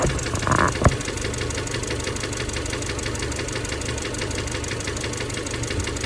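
Boxer idling with a steady rapid knock from the middle of the block over a rumbly idle; rod knock is possible but unconfirmed.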